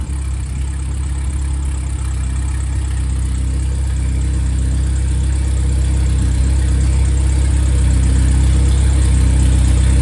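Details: Freshly rebuilt 1500 engine (Triumph Spitfire/MG Midget, FP22382UE; 80 psi oil cold start) idling as it warms: smooth, even low drone with no knocks or ticks; oil pressure settles to 28–30 psi at hot idle; normal idle.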